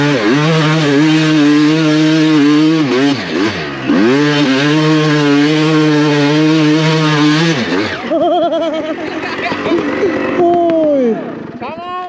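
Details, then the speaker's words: Freshly rebuilt, broken-in 2007 Suzuki RM250 two-stroke ripping in a sand pit. Crisp revs rise and fall cleanly and strongly with no knocking or misfire; it sounds sweet. Normal, healthy two-stroke running. "Sounds good as fuck. Yeah, dude, that sounds fucking sweet."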